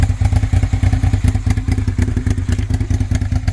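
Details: First-gen Suzuki SV650 V-twin, revived after years abandoned: lumpy, uneven thumping idle with only one side firing; a stuck carburetor float needle floods that cylinder, fuel leaking from crankcase and header clamp, big exhaust leak.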